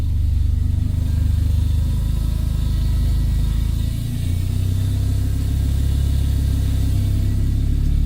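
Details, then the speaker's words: Audi converted to the 8HP automatic: steady idle, a brief dip as reverse engages, then smooth running with no clunk or whine; the earlier bad noise from filling the gearbox with the engine off is gone. "See nüüd on tehtud ja kui me paneme käima auto, ja valime tagurpidi käigu, siis kõik halvad teed on kadunud."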